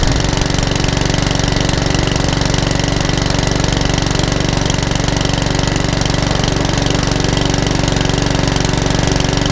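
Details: Mountfield 414 HP mower, which came in hunting and surging with a suspected carburetor issue, test-run after the repair; a steady, even single-cylinder beat with no surging or hunting, running properly.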